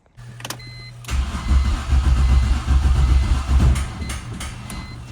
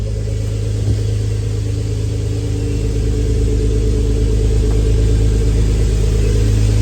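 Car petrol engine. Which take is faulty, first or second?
first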